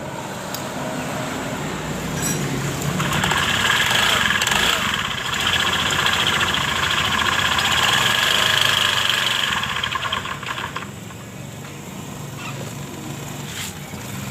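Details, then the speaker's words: Honda Beat Pop scooter, CVT case seal being replaced over oil seepage: idle speed drifts up then sags instead of holding steady; unstable idle, owner suspects weak injection pressure or another fault. "seperti itu cuma langsam dari motor ini tidak stabil mungkin dari tekanan injeksinya yang lemah atau masih ada kendala lain"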